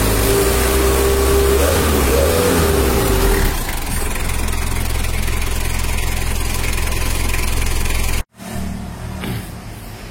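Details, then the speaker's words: Mitsubishi L300 diesel after engine rebuild: fires up and settles into a smooth, even idle clatter with no misses or knocks; engine sound smooth and compression solid. "ya untuk suara mesinnya udah halus dan kompresinya padat udah-udah empuk"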